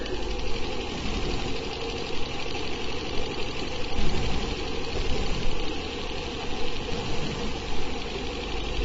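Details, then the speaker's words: Spinning rotor of a homemade magnet/coil build, running fast: steady rough grinding rumble from dry, dragging bearings. "Yeah, my bearings definitely have some issues. I can hear them grinding"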